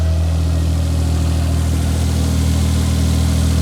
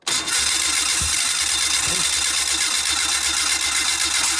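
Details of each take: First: Old fuel-injected four-stroke snowmobile just restarted after 30 days underwater, dried out, oil changed, connections greased: deep steady idle about four firing beats a second, even, no knocks or misses; running healthy. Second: Fuel-injected four-stroke snowmobile, 30 days underwater after breaking through ice, water drained, plugs dried: steady starter cranking with a few isolated pops a second or more apart, never catching; it has spark but won't run.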